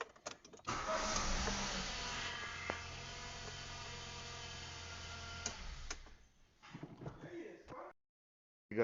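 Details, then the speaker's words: Ford Fiesta Zetec Rocam 1.0 that flashed the oil light and began making engine noise: busy metallic chatter over the idle, then dies; stretched timing chain with missing front guide found, chain kit to be replaced. "Bom dia bom hoje nós vai trocar o kit de corrente de comando do Ford Fiesta Zetec Rocam 1.0 beleza"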